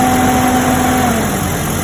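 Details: Jeep Cherokee XJ with the 4.0 engine after the noise problem was diagnosed and fixed: steady, even idle with a smooth low rumble and no squeal or chirp from the belt drive; the engine sounds healthy.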